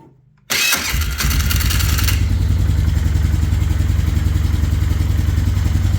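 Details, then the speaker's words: 2005 Polaris Sportsman 500 HO EFI after starter replacement: brief clean crank, engine catches within a second and idles evenly; no lingering squeal from a sticking Bendix gear keeping the starter engaged. "kind of what I'm listening for is there's a gear in here that sometimes sticks and if it does it'll make the starter stay engaged the whole time and it'll squeal like crazy but I don't hear that issue with this four-wheeler so I think we're good to go"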